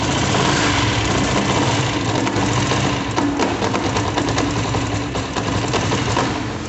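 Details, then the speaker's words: Honda Titan motorcycle: a busy, fast, uneven metallic rattle over the running engine that sounds internal but comes from a small loose piece on the flywheel vibrating under the side cover. "para se vocês vão ver uma moto com barulho desse aí tipo uma peça solta no motor tem grande chance de ser o volante que no caso essa pecinha aqui solta tem bagulho é só ele vibrando"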